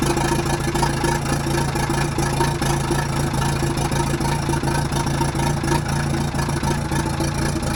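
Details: Telehandler started right up after the sparking battery terminals were replaced and the battery was charged; steady, even diesel clatter at idle with no misses or stumbles; normal idle.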